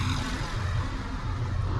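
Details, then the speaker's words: 2006 Toyota Tundra with the 2UZ V8 at idle after troubleshooting a cylinder misfire and replacing an ignition coil: deep, steady low rumble with no stumble, skip or lope; vibration gone, running smoothly on all cylinders. "Vibration is gone. Moral of the story, make sure you're working on the right stuff."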